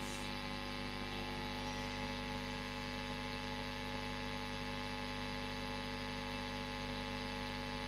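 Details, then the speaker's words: Marshall Kerry King Signature valve amp, EQ at noon, master and gain turned up, not playing, audio boosted: constant low buzz and steady hiss. It is not mains hum as the owner thought; it is preamp noise. "you can tell that is actually quite a noisy amplifier okay so it's not a main some but there's definitely noise going on there"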